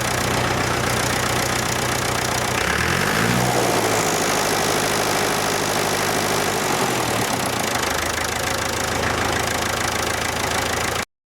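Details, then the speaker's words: 70-year-old International 275 diesel tractor after injector work and 1.5-hour battery boost; steady even clatter about four beats a second, revs picking up and settling cleanly, normal idle. "so as you can hear it's ticking over nicely I boosted the battery for about an hour and a half and of course it wound over a lot quicker and away it went"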